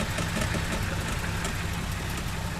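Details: 1949 Dodge with an original 4-litre flathead straight-six, 6V system and oil bath filter, idling: very quiet, smooth low rumble with an even beat and no knocks or ticks; healthy normal idle.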